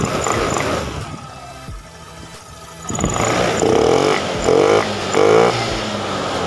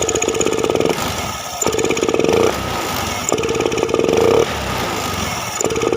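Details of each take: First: Honda Beat FI scooter, previously bogging on snap throttle, now tested; engine snaps up cleanly on each quick throttle blip with no bog or stumble; throttle response clean and immediate. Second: Honda Beat FI scooter, no MIL codes, throttle body, fuel pump, EOT sensor, plug and injector already swapped: revs climb then stall flat and fall back on each quick throttle blip, normal when rolled on gently; ECU fault. Hesitation on snap throttle.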